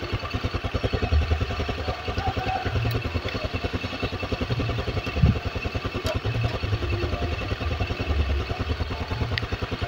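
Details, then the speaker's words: Honda BeAT carbureted scooter brought in for high fuel consumption, idling after the idle was corrected and before the carburetor was serviced: an even, steady single-cylinder putter, more stable than the earlier uneven idle. Normal idle. "oke Ya ini RPM sudah terdengar lebih enak ini Mas gak engak ginjal-ginjal seperti di awal ya ini sudah lebih stabil rpmnya ini"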